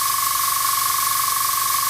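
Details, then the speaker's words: Iwata Sprint Jet model 800 oilless piston airbrush compressor, running: steady airy hiss with thin constant whistle as air bleeds off through the bottom of the regulator filter while pressure builds — normal regulator bleed-off. "now when I switch this on you will hear a bleeding off through here through the bottom of the filter as it builds up"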